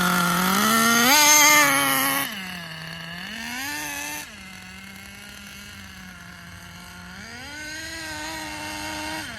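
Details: Schumacher Menace nitro RC car on new tires, running the last of its nitro. High-pitched buzz rises and sags unevenly between blips instead of climbing cleanly; the high-end tuning needs work, and excess oil in the exhaust was ruled out. Poor running at high speed.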